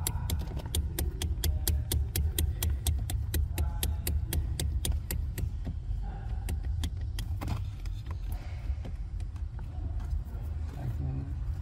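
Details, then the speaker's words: 2021 Toyota Hilux with 88,720 km: phone placed under the dash while the steering column is shaken by hand, giving rapid sharp clicking knocks from steering column play; the column and pedal assembly are to be replaced. "pequeno Samurai já tá agarrado na coluna de direção El ele vai mexer o barulho ó a mão dele tá na coluna vai lá"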